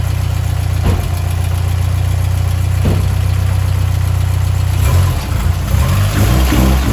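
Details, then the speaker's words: 2007 Subaru STI after reassembly, second start after fixing an injector fuel leak: lumpy low idle with a dull knock about three times a second, busier when revved; owner suspects rod knock but unsure, possibly transmission noise. "All right, guys, so got it running. You probably saw that, but I feel like it has a little bit of rod knot. I don't know, it's hard to tell."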